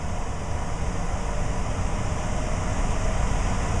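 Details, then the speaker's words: Variable-speed blower motor tested with VZ-7 on a Trane board, switched to cooling 2 (high speed), ramping up to 700-800 rpm and 1400 CFM, blower door off; smooth rushing air with a low hum building, no scraping. Normal blower operation. "you can hear it it's starting to speed up and is doing 700 rpm and it says fourteen hundred CFM"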